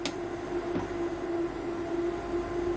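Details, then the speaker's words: Growatt SPF 3000TL LVM 24 V all-in-one inverter switching to shore power and AC-charging the battery at 30 A, battery near 27.1 V: a click, then a steady mid-pitched hum without buzz or rattle. Normal charging. "switching over and charging on the ac charger"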